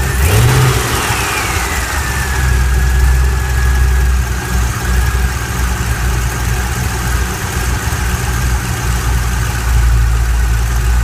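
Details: LS7 V8 after cam install: blips then settles to idle with a clear high whine falling in pitch as revs drop.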